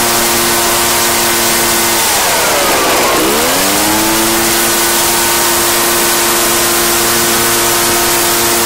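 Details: Echo PB-755ST two-stroke backpack blower, bought new two years earlier, after fresh fuel and carburetor adjustment (it had been bogging and dying under throttle/load); steady high full-throttle scream with a brief rev dip, then back to a clean, even howl, running normally.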